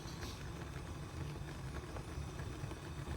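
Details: RealFyre natural gas fireplace unused about 6 years, after blowing out the clogged pilot tube with an air compressor and turning the flame up: low steady roar with soft rumble, no popping or sputtering; burner lit and burning evenly, normal operation.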